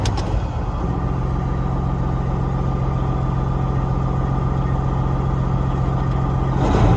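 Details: A Peterbilt 379 with an air leak, on a cold day (about 38°F), idles while air builds to cut-out. There is a steady, even low diesel rumble with no hiss or knock. Normal idle; the air system was then found to hold pressure.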